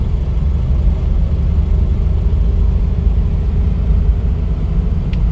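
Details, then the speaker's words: 1959 Cadillac DeVille 6.4 L V8 after new intelligent spark plugs and timing adjustment, floored on a mountain road up to about 65: deep steady roar, smooth and even, no misfire or knock; normal acceleration. "once we have a clear path we're gonna roll her all the way down to the floor and we'll let you hear what she sounds like"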